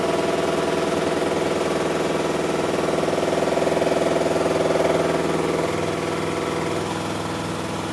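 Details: Miele Softtronic W6544 washing machine, drum loose and noisy (bearing damage questioned): regular knock about twice a second over the drum's whir as it turns; cracked drum spider (Trommelkreuz).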